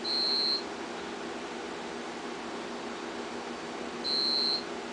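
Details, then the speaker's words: Homebuilt generator transfer switch test with mains breaker off: UPS sounds a clear half-second beep about every four seconds over room hum, on battery after mains loss while the generator sputtered, failed to run, and no transfer happened. "here's are the UPS's down here they're beeping they should be running on battery backup something is wrong"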